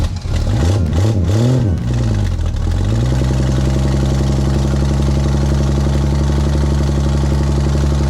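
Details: 1961 Mercury Comet, 170 cu in straight six, revived after sitting 37 years with a seized engine: after a few uneven revs settles into steady even low idle, no knocks; runs smoothly.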